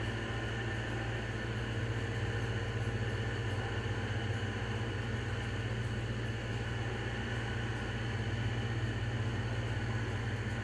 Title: Lenco-Middy's style 3 exhaust fan with bad bearings